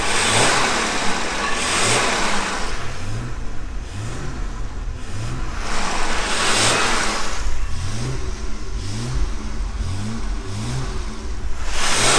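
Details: 1978 Jaguar XJ6 Series 2 barn find, back together after a thermostat change and warmed up with the temperature gauge normal: smooth petrol engine blipped through a couple of clean, even revs without knocks or misses; sounds healthy.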